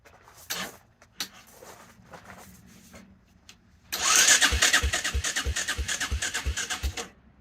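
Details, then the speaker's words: 1984 Honda Big Red 200ES: starter churns in steady pulses about three per second but engine never catches; owner suspects it is out of time, unsure whether fuel or spark; battery running down; cranks but will not start. "Fired right up. Now it sounds like it's out of time again. I don't know, fellas. I don't know."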